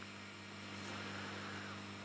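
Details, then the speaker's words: Marantz 7 clone preamp kit after warm-up, through test speakers: constant high-pitched digital-sounding whine over low hum; the preamp is very sensitive to RF pickup. "hear that sort of like a high-pitched kind of whining sound it sounds like a like a digital kind of sound and um yeah it sounds pretty awful when you put it on decent speakers"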